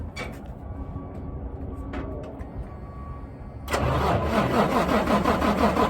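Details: Mack CH613 truck in cold outdoor weather: loud, even, rhythmic cranking that never catches, so the engine won't start; the cause is a faulty VECU.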